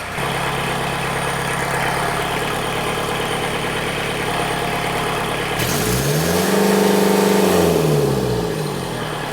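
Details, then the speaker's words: Rebuilt Kubota V2203 diesel just started on the dyno: slightly uneven idle beat, revs up and falls back; still running a bit rough with air in the fuel system. "It'll have some air in it for a while,"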